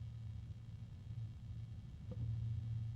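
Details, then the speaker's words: AmRunJe 12025x2S-USB dual 120 mm fan cooling unit with grills on both sides restricting airflow: quiet, steady low hum under soft airflow rush, constant pitch, slightly noisy and possibly unpleasant; fan hum. "I think some people might find that a bit unpleasant"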